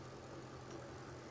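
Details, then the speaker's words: Jeep WJ Grand Cherokee 4.7 V8 with a shorter serpentine belt fitted to stop a worn AC compressor pulley bearing squealing; the compressor still turns but is unpressurised. Quiet, even idle with no belt squeal or chirp. Normal idle. "It is actually turning the AC compressor, but it's not squealing because it's not under pressure."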